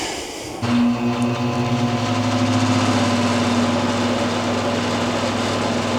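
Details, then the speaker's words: ProLine 1300 CFM inline range hood blower after rebalancing with folded Post-it note shims: fan spins up at once to a smooth, steady, even hum at high speed, no wobble or rattle; vibration fixed, normal running. "it's really perfect it's very quiet um at high speed hopefully you can hear that in the video and the video picks that up now that it's balanced we just get that nice smooth up"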